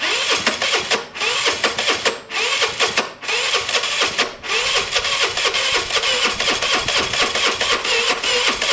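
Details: Dumped Piaggio Typhoon 125 scooter on its first start attempt: rapid cranking with brief near-firing bursts that die away, so it won't start; owner suspects poor coil connection and plans direct wiring to the coil.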